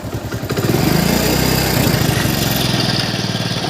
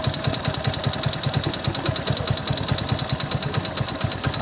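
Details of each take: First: Hero Passion Plus single-cylinder motorcycle after tappet (valve clearance) adjustment to cure a loud ticking noise: revs up and settles with an even, steady beat and no top-end ticking; engine now smooth. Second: Hero Passion Plus motorcycle engine, revved, noise louder under load and faint when slowed: sharp, even ticking knock about ten a second over the engine note; piston found with excessive play in bore. Piston slap.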